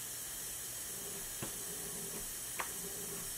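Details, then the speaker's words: BMW E36 M3 S52 burning oil with metal in the oil: leak-down test, cylinder 4 at TDC compression, steady hard hiss of air from the crankcase, oil gurgling at the dipstick; worn piston rings. "there is a large amount of air coming out of the crank case and if I pull the dipstick you will hear the oil gurgling"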